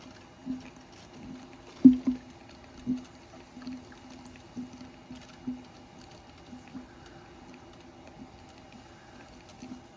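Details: Smart 453 EQ electric car after repair, coolant pumps running: irregular gurgles and soft bubbling pops over a faint pump hum, easing off over time, as trapped air works out of the coolant loop.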